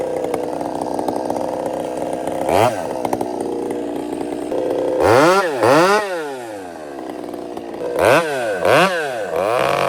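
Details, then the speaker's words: Chainsaw with throttle response improved, idle turned down and carb richened slightly: rough, burbling revs rise and fall in repeated blips, breaking up near the top; slight four-stroking from the rich mixture. "So, I fattened it up a little bit. That's what I was doing. Just a little bit. And if you just heard it, you can hear that little bit."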